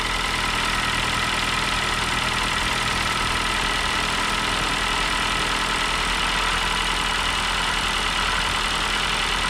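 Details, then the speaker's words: 2014 Ford New Fiesta, timing belt engine, just after cold start: light fast ticking through steady idle following engine speed, mechanic suspects valves/tappets, cause unconfirmed; ticking at idle. "carro tem um barulho parece válvula sabe galera parece tuxo batendo comando é um barulhinho chato tá"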